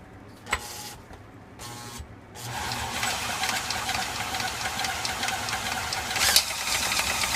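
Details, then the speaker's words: 1987 Snapper mower engine on a bench stand after rebuild, cranked by hand: quick uneven light tapping over a hissy rattle that then goes away; owner suspects a valve spring, not confirmed. "this one has that noise too but then it goes away then it's got to be a valve because that's what it sounds like it sounds like one of the springs"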